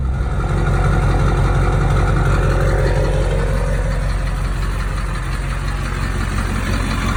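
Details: 2003 GMC 2500HD, LB7 6.6L Duramax diesel at idle: loud, steady clatter, fairly even knock about three per second, from bad injectors.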